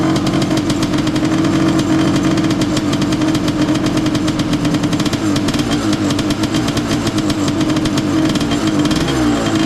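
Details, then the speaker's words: Honda CR500 two-stroke Schwinn trike, choke on after starting: uneven wet burble that never crisps up, rich boggy idle from flooding during earlier no-spark start attempts. "It was so full of gas from me trying to start it with the no spark issue. Um, it wasn't clearing out. Wasn't clearing out."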